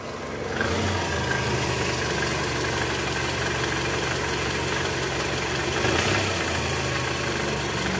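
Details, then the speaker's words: 2004 Toyota Camry, 2AZ-FE 2.4 L, 98,000 km, cold engine with AC on, shifted into R. A faint, uneven low rattle comes from the lower engine, located with a stethoscope, and fades when warm. The balancer shaft was found worn and loose. "Jadi, jika mesin sudah panas, suara cenderung berkurang dan menghilang, teman-teman. Ini menunjukkan bahwa poros penyeimbang sudah aus dan longgar."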